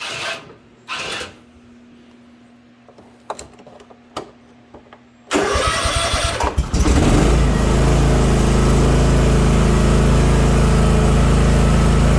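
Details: Toro TimeCutter 50-inch zero-turn mower, new, after free fix for no-start from electric parking brake: starter cranks briefly, engine catches and settles into steady even low drone without misses or knocks; runs healthy.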